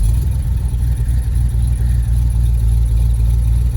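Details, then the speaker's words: 1971 Ford F250 Highboy V8 cold start in snow: raised, slightly uneven idle as the manual choke high-idle is set incorrectly; also usual exhaust leak at the donut gaskets. "my high idle with the manual choke isn't set right again so i got to fix that"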